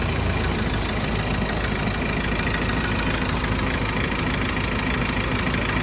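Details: 2013 Ford Ranger XLS 2.2L diesel, ex-mining truck, engine checked from the front: loud but even diesel idle with a steady beat, no distinct knock or rattle; healthy, owner says still powerful.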